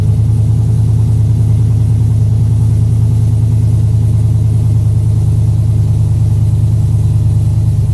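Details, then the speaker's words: 2007 Chevy Avalanche V8, first start after DOD/AFM delete, Texas Speed performance cam, rebuilt heads and headers, DOD disabled and timing retuned in HP Tuners; deep, steady idle, mild cam lope, hollow header note, no ticks or knocks, no engine light; normal idle. "all right i always love that initial header burn off sounds pretty good you can definitely hear the hitters they always have that i don't know that hollow sound to him"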